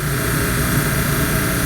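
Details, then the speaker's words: 1954 Mayflower oil furnace burner, 65 years old, motor needing replacement, impeller cleaned: even, steady roar with a low hum and no knocks or rattles; normal burner operation. "seen that 65 year old beast run like a champ unbelievable"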